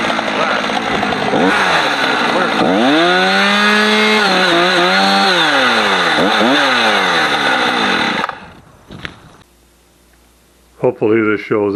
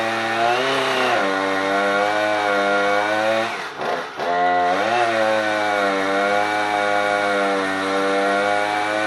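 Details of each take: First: Husqvarna 455 Rancher chainsaw revs clean and high, sags in pitch biting into a heavy block of big wood, then pulls back up with no stumbling, running normally; earlier power loss was traced to a dirty, discoloured fuel filter. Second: Husqvarna 455 Rancher chainsaw losing power under load, run before the spark plug change: holds a steady high buzz, then stumbles and sags in pitch near four seconds before recovering.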